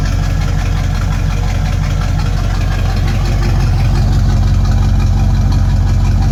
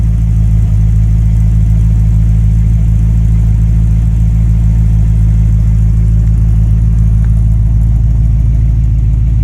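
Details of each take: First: Base 1974 Corvette C3 L48 V8, owned 13+ years, apparently non-stock old exhaust before replacement: deep, heavy, rapid pulsing idle rumble, harsher and louder than stock, a dirty sound because one muffler is missing. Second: Base 1974 Corvette C3 L48 V8 after installing new Corvette Central Magnaflow exhaust: deep, steady V8 rumble with smooth even beat, no rasp or leak; healthy exhaust note.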